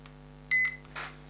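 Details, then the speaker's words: ISDT ESC70 speed controller in a Gatekeeper RC build, on a fully charged 3S battery (about 12.5 V), first power-on. One short high beep and a brief hiss: the error signal for a throttle that has not yet been calibrated. "we've got steering but it's gone straight into an error which is what we expect because that's the um throttle calibration so it hasn't been calibrated yet"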